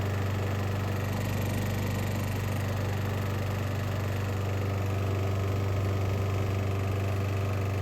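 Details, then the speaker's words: Trash-found mower's small single, warm, idling: dull metallic rhythmic knock keeping time with the engine, internal. The owner suspects the rod, the piston or exhaust valve blowby, unconfirmed. "it's definitely something going on after it warms up there's a rhythmic knocking sound is it the rod you know is it anything with the Piston something like that I really don't know"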